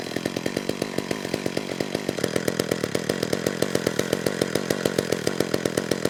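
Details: McCulloch Eager Beaver 2.0 cu in two-stroke chainsaw after carburetor clean (was a no-start), no purge bulb, air filter fitted: steady rapid firing with blubbery uneven edge; suspected the filter richened it, low-speed jet needs leaning.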